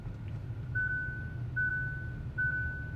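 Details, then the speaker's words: Kia Seltos turbo-petrol iMT, shifted straight from 1st to 4th at 20 km/h: three high single beeps about a second apart over a quiet engine, throttle gives no response and revs don't build; wrong-gear warning. "this is what will happen if you are in the wrong gear."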